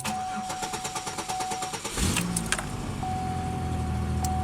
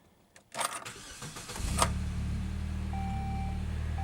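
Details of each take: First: Car cranking for about two seconds, roughly five pulses a second, before catching into an even idle. The owner suspects the extended crank is because it ran only two minutes the night before after sitting a week. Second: Newly acquired 2006 Saab 9-3, on ramps for an oil change, starting up: a brief crank, then the engine settles into a steady, even idle with no ticking or knocking. The oil pressure light is off, so it's a healthy start.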